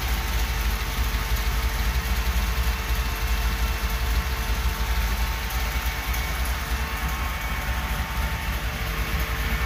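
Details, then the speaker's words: 1977 Chevy Camaro small-block Chevy V8 with newly installed Edelbrock Pro-Flo 4 EFI, restarted after topping up coolant: starts on key turn, low steady even rumble with no knocks, misses or squeals; normal idle, running like a dream. "oh man that is just so nice way too easy turn the key and it turns on seems to be running like a dream"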